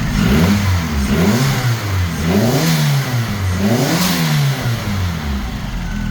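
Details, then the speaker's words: Highly custom MK2 Jetta coupe, turbo 4-cylinder with custom front-mount setup, said to make about 295–298 wheel horsepower; repeated throttle blips, pitch climbing and dropping cleanly with strong even note, audibly building boost. Healthy turbo engine revving. "All right, so there it is, guys. Started running, runs great, builds boost, sounds amazing. Love how these 4-cylinder sound with the turbo."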